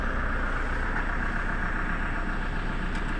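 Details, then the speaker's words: Toyota Innova 2KD diesel with no-start, after ECU-related repair, fuel pressure about 29,000 kPa: steady even diesel clatter at idle with no misses; engine now starts easily and idles normally. "Nah ini Min sudah bisa hidup m sudah bisa hidup"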